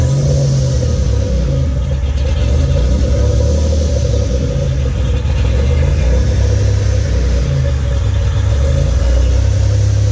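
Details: Fully built 3800 V6 race engine on its first start after the build: strong, even low rumble rising and settling cleanly with the throttle, no knocks or ticks, no leaks; normal revving.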